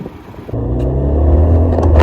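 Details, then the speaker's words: Ford Fiesta Zetec-S on its first road drive after engine rebuild: low steady drone builds as the car pulls away and gains speed; rear wheel bearing humming, owner plans to replace it. "so I'm gonna have to do that wheel bearing on the back there"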